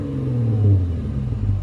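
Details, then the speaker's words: Mercedes-Benz C300 W204 idling after new spark plugs to fix rough idle and a blinking check engine light, mufflers removed: a deep, even exhaust rumble with a steady beat and no stumble or shake, so a normal idle. "oops it's not yeah it's not rough piling anymore it's not the Rebs are consistent at one oh it doesn't sound like a su V any more"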